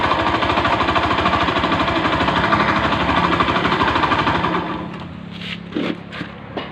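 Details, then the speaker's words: Honda Beat FI scooter running rough, with harsh rapid hammering that fades as revs drop. A loose, worn crankshaft main bearing increases vibration at low and high rpm. Fix was an original block plus piston kit, keeping the con rod. "berarti sumber masalahnya ada di pagar kruk as-nya Ya udah koplak jadi getarannya semakin besar ya di RPM rendah dan RPM tinggi jatuh jelek ya"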